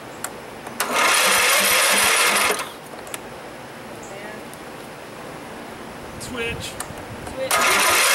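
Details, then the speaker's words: Craftsman tractor engine after rebuild with new magneto and push rod, on temporary bolts and no muffler: catches and runs with crisp fast putter in short even bursts, no knocking, shaking from loose mounting; normal running. "got it the reason it was shaking all over the place is because we got temporary bolts just to start it"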